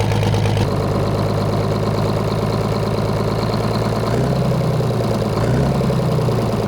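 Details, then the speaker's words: Detroit Diesel 6-71 two-stroke, rerun with full air to it and idling: steady even low drone with small speed shifts, runs smooth, much better than before. "Oh yeah, dude, much better."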